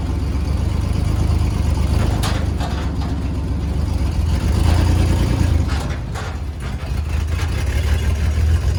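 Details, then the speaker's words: 1955 Ford F100 lifted 4x4 parts truck, stick shift, sat outside for months, running and driving: deep steady rumble, even running, no knocks or misses, partly covered by handling noise; normal running engine. "so i am so excited it actually ran and drove very well fired right up"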